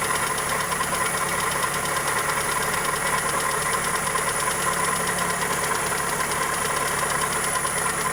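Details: Toyota 2E engine (Corolla EE90) at steady idle with fast, fairly even light tapping about two per second; ticking knock, valvetrain or connecting rod suspected, source unclear.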